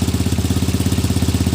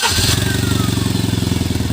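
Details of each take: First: Tata Nano after repair of a misfire/missing problem: small twin ticks over evenly, about fourteen steady pulses per second with no skips or stumbles; clean, healthy idle. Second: Tata Nano, misfire being diagnosed, engine running with the silencer removed. Fast, even puffing pulses over a steady low idle with no engine shake, exhaust escaping openly: exhaust leak.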